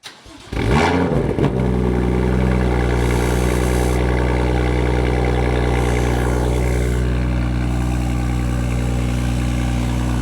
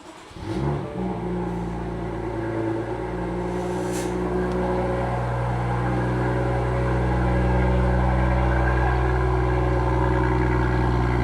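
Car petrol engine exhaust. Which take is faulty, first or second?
first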